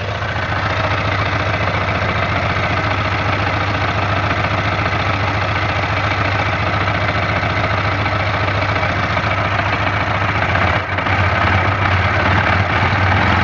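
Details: Suzuki Katana 600 at steady idle with a faint rapid ticking over it, about three to four a second. Owner is unsure whether it is a knock; the odd engine noise has an unclear cause.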